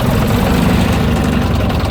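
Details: AEC Militant 6x6 artillery gun tractor, running again after bleeding the fuel system: deep, steady, even diesel idle with no misses or knocks; no smoke, no leaks, runs rather well.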